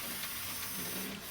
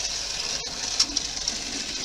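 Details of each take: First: Graham Farish N-gauge Hall locomotive after lubricating the armature bearings to cure a squeak, running forward: smooth, steady high-pitched motor hum with no squeak or catching. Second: Model locomotive R238 'Sketty Hall' running on a rolling road: faint motor whirr with an intermittent but fairly regular short chirp; squeak isolated to dry armature bearings, fixed by lubrication.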